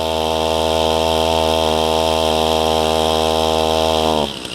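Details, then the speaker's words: Chainsaw cutting up a large blown-down oak, held at a strained, steady high rev that never changes pitch, then cuts off; the chain brake is left on, slipping and burning the clutch. Bystanders first wondered about the compression release. "Take the brake off, you're burning the clutch up."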